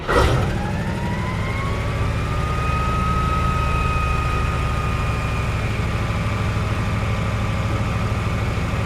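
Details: 1956 Oldsmobile 88 V8 after the fuel line was fixed, restarted with the battery charged: steady deep rumble with a faint rising whine that levels off, smooth with no miss, earlier breather smoke now gone; owner guesses a stuck valve or uncirculated oil; slightly high idle.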